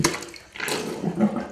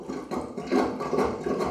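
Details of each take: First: Sink drain after plunging: water rushes away quickly with an even gurgle, no slow bubbling or backing up; drain clear and flowing freely. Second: Sink drain being plunged with the overflow hole left uncovered: wet gurgling surges about twice a second with each stroke as air escapes through the overflow, giving no real suction. Gurgling from open overflow while plunging.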